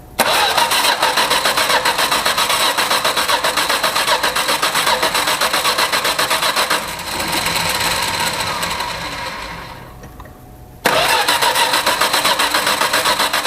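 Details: Old Valiant revival, leaking carburetor, wet intake: long even cranking nearly four beats a second that never catches, pause, more cranking; turns but won't fire, cause unconfirmed.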